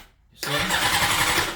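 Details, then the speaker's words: 2006 Honda CBR600RR that starts only about 25% of the time, cranking: about a second of fast starter whirring with no catch or idle; cranks but won't fire, cause unknown, with fuel, air, compression and spark still to be checked. "I'm having a problem with this bike this bike starts only 25 of the time and I'm trying to fix that problem so"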